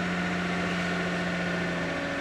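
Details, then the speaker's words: 2007 Toyota Camry V6, cold start at 27°F: steady, even idle hum with constant low tone and no knocks, ticks or misses; normal cold idle. "all right well here's the cold start of the big six"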